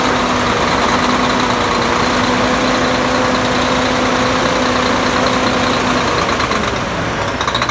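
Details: Volvo D13 diesel idling after replacing double idler gear in timing gear compartment, following a hard start; steady even low clatter with faint tone, no knock or miss, holds speed.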